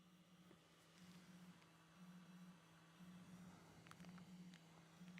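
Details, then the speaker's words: Voron 0.2r1-S1 3D printer (Klipper firmware) extruder stepper motor test during build: quiet, steady hum pulsing about once a second, clean and even; normal extruder stepper operation. "I can hear it moving so extruder motor is making some sounds okay so this test is uh is done we the motors are all working"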